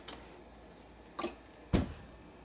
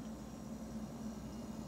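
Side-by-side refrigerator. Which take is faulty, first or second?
first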